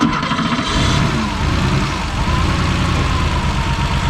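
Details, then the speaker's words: Porsche 3.2 Carrera warm idle about 200 rpm too high, wandering slowly up and down with a slightly lumpy beat; a cylinder is suspected dead. "the idle on the car is too high and you can hear it's kind of moving around a little bit as well"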